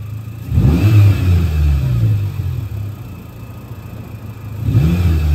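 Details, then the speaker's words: Old Renault Clio 1.2 petrol engine converted to pure hydrogen via high-flow injectors, about 25% less power: revs up and settles into a steady even low rumble with clean pulls, sounding like a healthy petrol engine. "all right so here we are we're driving on hydrogen it sounds like a petrol engine it runs like a petrol engine"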